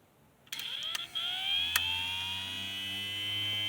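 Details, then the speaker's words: 1965 Plymouth A-body heater blower motor, sat in the car for years, bench-tested off the battery with a jumper wire; spins up quickly then settles into a steady high whine over a low hum: running normally. "as you can hear, the blower motor runs, but I know there's going to be somebody out there in the comment section, or maybe not, that's going to be like, well, if it runs, why are you taking it apart?"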